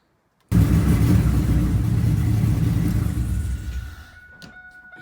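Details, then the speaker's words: V8 just reassembled with new head gaskets: loud, uneven low rumble with a stumbling beat that never settles; still dropping one cylinder, owner suspects one old plug wire isn't working and is waiting on new wires. "i think one of these plug wires still isn't working there's not much i can really do about it"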